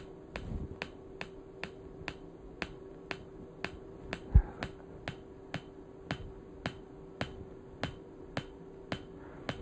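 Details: PEMF-100 high-intensity PEMF therapy coil at high intensity and low frequency, strong enough to cause muscle contractions: sharp single clicks about every half second, evenly spaced over a faint steady hum; normal pulsing.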